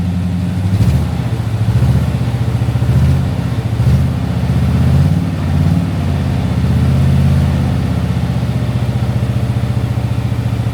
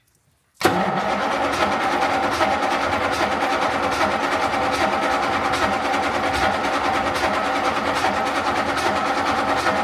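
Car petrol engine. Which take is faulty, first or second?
second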